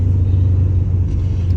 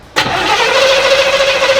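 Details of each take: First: Chevrolet Monte Carlo SS V8, parked in a kitchen 20 years, first drive after revival: starts right up into a deep, even idle rumble with no knocks or misses, running smoothly. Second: Monte Carlo SS barn find parked 20 years, carbureted: steady starter cranking about six seconds, engine turning over evenly but never catching; tank was empty despite gauge reading full; crank no start, out of fuel.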